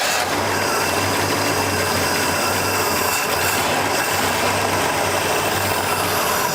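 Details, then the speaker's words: 1972 Pontiac LeMans barn find with 4-barrel carburetor, first running after about 20 years: slow, lumpy idle with low throbbing pulse, barely hanging on; idle set too low. "Died about the time I hit the brake, but it popped hard. Sounds like it's doing something. It's coming back up anyways."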